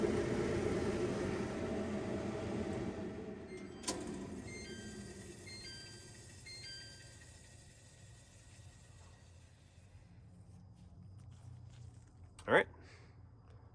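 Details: Samsung DVE50R5400W/A3 dryer, previously not heating, powered up during element testing: startup chime of rising beeps, then low quiet steady hum with soft clicks; starting and running normally.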